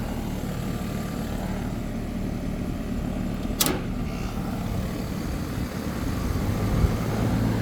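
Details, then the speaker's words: AC condensing unit after no-cooling call and replacement of a bad run capacitor with a universal dual run capacitor: compressor and condenser fan running with a steady even hum, one brief tap, drawing about 10 amps; normal running. "yeah she's running I know you hear the compressor"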